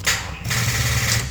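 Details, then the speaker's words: Honda Civic won't crank; rapid buzzing clicking with flickering dash lights as a weak battery can't hold the starter; usual causes are corroded or loose battery terminals or a dead battery. "It won’t crank at all. Instead, I hear this rapid clicking noise, and the dash lights flicker"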